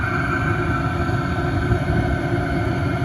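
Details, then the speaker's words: Chinese all-in-one diesel heater installed outside the house on a concrete block, fuelled and working first time after setup: constant combustion roar under an even fan whine, no surging, popping or misfiring; normal running. "it sounds noisy from here but obviously we're inside the house so we can't hear it and we haven't got any neighbors to bother so he's actually pretty good"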